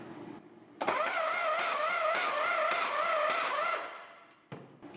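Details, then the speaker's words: 1950 Chevrolet inline six, previously stuck, with a 6-volt starter on 12 volts: a strained, wavering whir while cranking that changes at a bad spot on the ring gear teeth. Suspects are a bad starter, cracked bellhousing or damaged ring gear. "Never heard one sound like that. [Applause] You can definitely hear it when it gets to the bad spot on the teeth and the ring gear, though."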